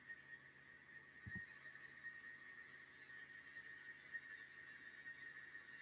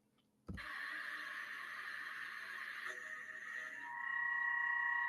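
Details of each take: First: Milling after moving the workpiece deeper into the vise jaws: steady clean high cutting tone with no hollow rattle, replacing earlier vibration chatter; stable cut without chatter. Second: Machining with part held too far out of the vise jaws; steady ringing tone over the cut grows louder and adds a second tone near the end, hollow vibration chatter, fixed by seating the part deeper in the vise.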